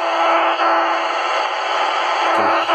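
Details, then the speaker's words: AMB160/AMB260 kart transponder held near an AM radio: a steady, harsh low buzz for the whole clip, showing the transponder is transmitting normally. "That buzzing noise is your transponder's signal being transmitted. If it's making that noise, your transponder's transmitting, and 99% it will work absolutely fine on the track."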